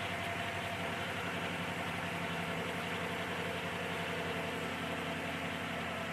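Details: 2008 Chevy Malibu after fixing zero compression on cylinder 3 (object retrieved from cylinder with magnet, now 180 psi): steady, even idle with smooth regular beat and no misses; running on all cylinders.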